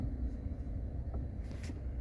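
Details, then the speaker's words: 2024 Chevrolet Cobalt, 22,000 km, after the shift-interlock ticking repair, idling in Park with brake lightly pressed: only a low steady engine rumble, no ticking, any remaining sound barely noticeable; interlock normal. "Mashinamiz pada turibdi mana. Sal bosamiz to'g'rimizda. Hech qanaqa tiqillash ovozi yo'q."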